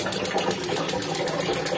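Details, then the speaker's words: Instant gas geyser in winter: rapid steady ticking about eight per second with no burner roar, igniter clicking but burner not lighting; the first cause to check is weak batteries, which cannot open the gas valve; fix is replacing the batteries. "लेकिन इसका burner नहीं खुल रहा सिर्फ टिकटिक कर र है तो इसका रीजन तो कई रीजन हो सकते हैं लेकिन जो सबसे पहला रीजन है आप इसके सेल को चेक करें अगर सेल इसके कमजोर है तो यह टिक टिक करेगा"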